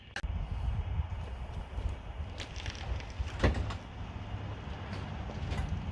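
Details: Classic Fiat 500 air-cooled engine, first run after fixing electrical issues, fed from a jerry can: low steady even idle with light clicks; runs fine, oil pressure and charging lights out.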